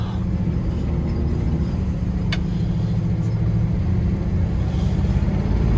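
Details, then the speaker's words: Classic International pickup driving on a snowy road, steady even low rumble with wind and snow hiss, no knocks or misses; engine running healthy with good oil pressure. "oh yeah this thing's driving great got good oil pressure"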